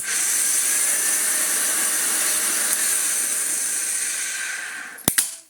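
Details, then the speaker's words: Hoover Junior 1334 upright vacuum on test with belt off: loud steady high-pitched whine with rushing hiss, then run-down; noise mostly from the motor, possibly needing a replacement armature. "yeah I think most of that's coming from the motor"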